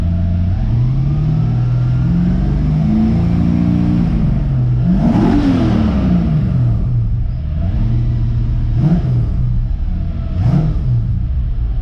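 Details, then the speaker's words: Ford XG ute with newly swapped V8 and automatic transmission: rumbly engine blips with a thin steady whine over it while in park and neutral; the owner is unsure of the cause, and the gears otherwise engage fine. "so for some reason it's whining a little bit in neutral and park i'm not 100 sure"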